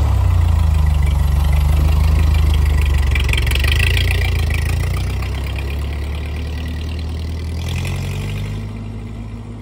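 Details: 1948 Ford 8N tractor test drive after rebuild: low, even four-cylinder thrum pulsing steady at about three and a half per second, easing down smoothly; engine runs healthy.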